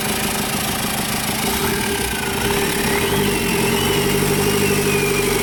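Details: 2014 Tavera diesel, first start after engine overhaul: catches and settles into a steady, even idle with a smooth beat and no knocks or rattles. Sounds healthy.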